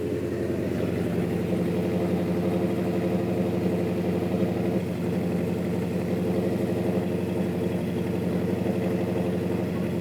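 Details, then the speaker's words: V8 engine with solid lifters held at a steady 2,000 RPM with a rev to 3,500; deep steady burble with a light even ticking over it from the solid lifters, judged to sound good: normal running with solid lifter tick. "I got solid lifters in Doc, yeah, solid I lifter. can hear them rattling, yeah. I like it. Sounds good."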